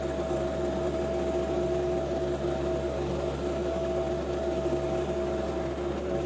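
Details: John Deere 2025R compact tractor powering a Tarter RT205 rototiller, repaired after top-gearbox oil loss seized the gears. It is tilling garden soil with sawdust and ash, recorded from a tripod. Steady, even drone and constant hum under load, no knocking, grinding or whine: normal tilling.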